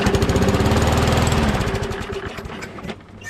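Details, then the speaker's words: Small engine, primed, catches with a fast regular chug, then the beat weakens and dies within seconds; owner suspects the carburetor diaphragm is not pumping fuel, so it is starving of fuel (unconfirmed). "we put uh we can prime and everything and it starts for a few seconds you know but then it stops so i'm thinking it's the diaphragm"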